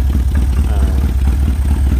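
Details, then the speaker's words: Chinese 250cc ATV (Kazuma/Taotao type), not run in about 10 years: starts and runs only on full choke, idling unevenly with a lumpy, irregular beat and loose clatter. "so again this chinese atv will start up and run but basically on full choke"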